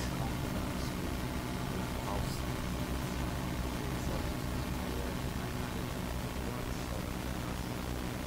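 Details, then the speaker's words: New ASUS-motherboard i5 desktop, speaker output through small mixer to Yamaha HS5 monitors, recorded from mixer output; steady low hum with hiss, unchanged in level, ground loop noise in the audio chain, later fixed with tape. "from the mixer it's going to the yamaha monitors and the noise it's terrible and i can tell you i tried everything to get rid of this noise absolutely everything"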